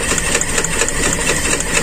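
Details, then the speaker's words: Carbureted Toyota Kijang with limping, heavily shaking engine; uneven stumbling idle with irregular miss and light ticking, cylinder one not firing fully; cause found as torn intake vacuum hose; misfire from vacuum leak. "alhamdulillahirobbilalamin sudah ketemu teman jalur selang Bakung di intake tajam sekali"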